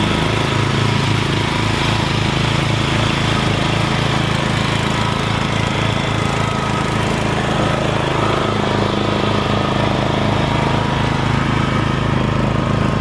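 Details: Rebuilt Troy-Bilt mower cutting grass, after new piston rings and a brand-new carburetor adjusted about half a turn. Steady, even single-cylinder drone holding its speed smoothly; normal running under load.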